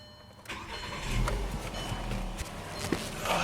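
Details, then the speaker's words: VW Rabbit Mk5 long cranking to start: fuel pump check valve not holding residual pressure, which drops to 0 at shutoff and must pass 50 PSI; after key-on priming the engine catches almost at once and idles. "Basically, it cranks until the fuel pressure picks up. There's a check valve inside the fuel pump that should hold that residual pressure, and that doesn't happen."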